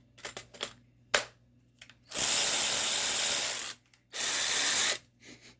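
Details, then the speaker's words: New Kimo 3/8-inch 12V cordless ratchet from TUMU, socket taped for RPM meter: two bursts of high, even whirring with rapid mechanical chatter; free running, sounds normal. "So, uh, it's supposed to run at 400 RPMs versus this 210 on this."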